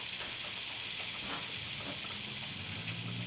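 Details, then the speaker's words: Mr. Coffee BVMC-SC12BL2 900 W coffee maker, full of water, after replacing the thermal fuse; drawing about 800 W: soft steady hiss and faint bubbling sizzle as it heats and starts brewing, no buzzing or clicking; heater working normally. "And we can hear it starting to come on. So we'll let that come on for a while until the power shuts off by itself."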